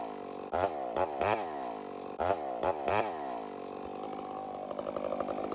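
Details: Chainsaw on a hazard-tree removal: several sharp throttle blips each sag back down, then a steadier note climbs as the cut goes on. The RPM changes under load; the cause is unconfirmed.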